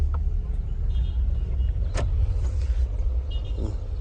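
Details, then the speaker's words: Renault Sandero bought at auction, first drive after fitting a new clutch cable and sorting the clutch pedal: steady low engine rumble with road noise, pulling evenly without knocks or slipping, engaging all gears; engine has power and runs normally. "This thing is actually fresh. It has power. It sounds like NP200."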